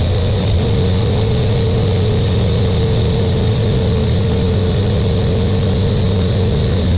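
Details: Buick Grand National freshly rebuilt engine, first start during cam break-in, run for 10 minutes, no thermostat: loud, steady low drone at raised idle, even and unbroken with no knock or tick; good oil pressure, warming up.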